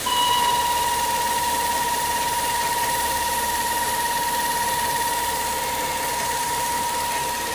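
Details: BMW E36 at idle: steady high squeal near 1 kHz over a constant airy hiss; owner suspects a bad hose air leak.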